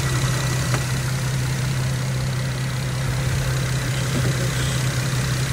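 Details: 2012 Infiniti M37x at idle after radiator replacement, coolant system self-bleeding with no leaks. Smooth, even idle with a steady low drone and no knocks, misses or hunting; engine running healthy.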